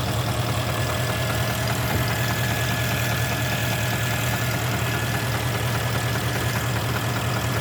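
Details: Porsche Panamera 4.8 V8 at hot idle after about two hours' driving: faint uneven tapping about one knock per second, only when fully warm, absent cold, disappears when revs raised slightly toward 1000 rpm; owner suspects scoring.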